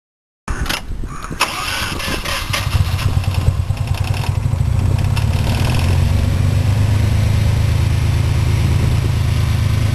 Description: ロータリーエンジンのエンジンブロー